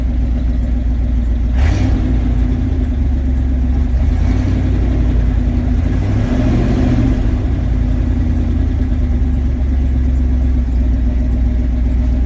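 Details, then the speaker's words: Truck at idle around 900 rpm: steady, even low idle with one brief rev, no knocks or misses; engine sounds healthy. "sounds good Idol's right about idles right around 900 RPM ish"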